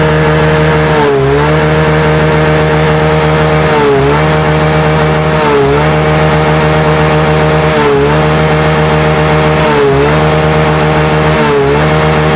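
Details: Yamaha Mio J (Fino) scooter that stalled while riding and showed MIL code 46, running while charging voltage is checked (13.8 V, normal); even, steady drone with a soft regular swell about every two seconds, no knocks or rattles, running normally.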